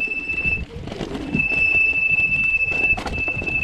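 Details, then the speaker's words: SameBike L026 Version 2 e-bike on first off-road ride: loud steady high-pitched squeal over tire crunch as rear brake is applied; brake squeal. "so my back break is a little bit on the squeaky side as you can hear"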